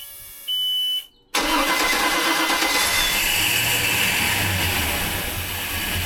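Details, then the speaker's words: 33-ft express cruiser's port engine after winter layup and manifold and riser service: short warning beep, brief crank, quick catch into an even, smooth idle; the starboard engine wouldn't start, suspected battery issue. "All right, one out of two. That sounds really good actually. It sounds very smooth. So, the port sounds really good."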